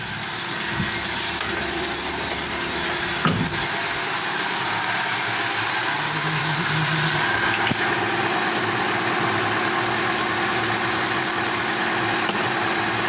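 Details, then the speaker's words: Daewoo Lanos switched to LPG after stalling on petrol, sensor unplugged so the check-engine light is on: smooth, settled idle with constant pitch and no stumbles or surging. Normal idle on gas. "О, це на газовий. На газовий працює. Чек світиться, наверно, того, що датчик не підключений."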